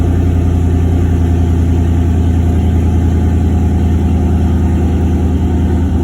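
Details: Turbo LS V8 in a Caravan, idling after the harness rewire with 0411 PCM and transbrake mod, in park: deep, even burble at a constant idle with evenly spaced pulses and no misfire or lope; healthy, normal idle.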